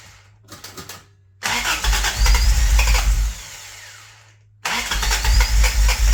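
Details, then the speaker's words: Toyota Tercel wagon with 4A engine swap, after installing Schneider Racing regrind cam and new valve springs, vacuum advance capped: starter churns in short bursts, engine tries to fire but won't catch; owner suspects timing is wrong, possibly the belt. "sure sounds like that timing's wrong every time never fails"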